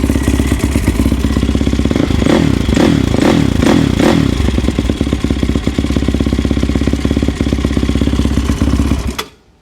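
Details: Yamaha YFZ450 quad rebuilt with a 480cc big bore kit after a blown head gasket, rolled outside and restarted: single cylinder fires and settles into a steady quick thump with a short blip of revs before shutting off; healthy start.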